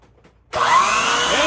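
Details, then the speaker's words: Canister vacuum power nozzle head with a head-mounted rocker switch, earlier had no power; after re-securing connections the brush motor, brush raised off the mat, spins up quickly to a smooth steady whir, no grinding; motor sounds healthy. "the motor looks fine it sounds good if you just noticed the motor sounds very good um and everything else looks good looks secure nothing seems loose"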